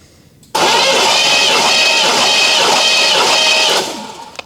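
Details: 1983 Chevrolet K10 engine, rebuilt after 24 years off road, cranking about three seconds with steady, even starter whir and airy hiss, spark plugs out for compression test (about 150), spinning freely without firing.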